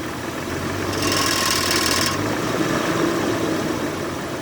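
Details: 1996 Jeep Cherokee XJ after replacing valve cover gasket, PCV valve and PCV breather hose: idles normally, but pulling forward in first gear a rushing whoosh with fast ticking and rattle swells under throttle; cause unknown.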